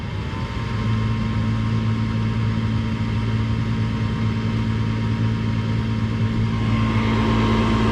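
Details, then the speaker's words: Four-year-old Trane furnace in attic, inducer motor running: constant low droning hum with buzzing edge; vibration transfers through floor into bedroom below. Inducer suspected, unconfirmed. "it doesn't sound horrible up here but below this room it really exaggerates itself feel it right under the bottom you got this block you've got this floor and then you've got the wall for that bedroom so it's noise transfer basically we're dealing with"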